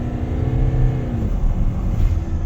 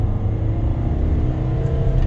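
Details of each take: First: Kia Carnival turbo diesel, 187,000 km, no check engine light, driving at wide open throttle: deep steady rumble with hardly any turbo whistle, no smoke; low power confirmed, low boost suspected after a noise reported. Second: Kia Carnival turbo diesel, 187,000 km, after low power and turbo noise: at wide open throttle a deep, steady engine roar pulls hard with no whistle or noise from the turbo front; the turbo spun free when checked apart.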